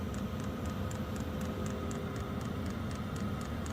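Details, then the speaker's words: Diesel air heater showing E8/E10 no-fuel error codes, fixed by fitting the fuel pump from a second heater; pump turned up fully, crisp even ticks about four per second over fan and burner roar, normal fuel pump operation, hot air returning. "yep we're getting hot air now so E8 E10 is no fuel and when you don't hear the clicking you don't get got a fuel pump"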